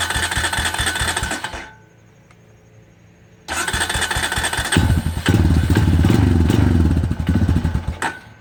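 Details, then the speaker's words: 250EX quad sat 10 years, after tune-up and blown fuse replaced: single cylinder idles high with steady light knock each revolution; first suspected crank bearing, stethoscope locates it at clutch side. "all right so I've been taking her tinkering around with this thing since I got it running and it's running pretty good right now but the engines making a knocking noise"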